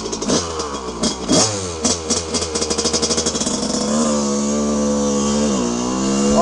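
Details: 1982 Honda CR125R, original stock two-stroke, ridden while warming up: crisp revs climb and fall cleanly through the gears, holding steady high buzz with no misses; tight, healthy, feels like new.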